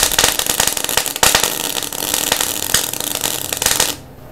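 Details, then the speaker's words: MIG welder at about half wire speed and half voltage gives a harsh crackling arc with irregular loud pops, spitting and banging felt through the gun, lumpy bead sitting on top without penetration; excessive wire feed speed, fixed by backing wire speed off. "you can actually feel it going bang bang bang bang bang bang bang with a gun like it's popping and it's spitting"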